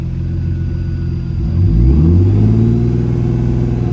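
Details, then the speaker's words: Turbo M50 BMW E30 (about 500 whp), on a hot day after the owner believes he finally found a long-running problem: smooth, even idle that swells briefly, then settles steady at about 700 rpm; normal idle. "Yeah, that sounds about right. That sounds about right."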